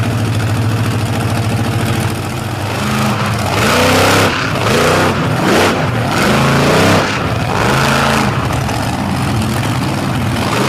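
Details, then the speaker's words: Athena Cozell's monster truck, Sinistar Motorsports, on a run at Brooksville: big engine surges roughly and won't make horsepower, with a faint clicking inside; it keeps running, but the motor is ailing and down on power. "It does not want to get up and make horsepower, and you can hear it kind of clicking in there. And then, it doesn't seem like it's having an issue staying running is the good thing, but that motor is definitely not happy."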